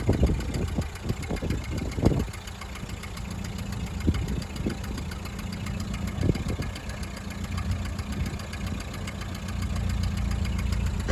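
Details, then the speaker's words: 1929 Ford Model A coupe at startup and idle: slow, lumpy engine with a deep rumble and an uneven puffing chuff. Exhaust leak at idle, to be fixed. "another thing that i'm going to point out is that this car has got an exhaust leak which is also going to be addressed it will not have that when this car is ready to go"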